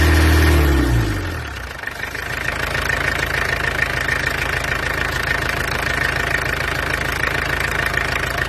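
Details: Peugeot 404 light van XD2 diesel with bored-out cylinders, at idle after a short burst: steady rattly clatter about four beats a second, loud but running nicely; normal diesel idle.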